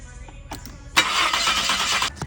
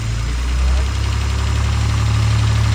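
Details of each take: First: Maserati cranking: starter spins steadily about a second without catching; crank-no-start traced to a corroded, broken pickup sensor shielded wire, bypassed with a jumper wire. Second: Maserati with a cranks-but-no-start fault, after a jumper replaced a corroded, broken shielded pickup wire: the engine catches after about a second and settles into a steady, even low rumble with no misfire; it starts and runs properly.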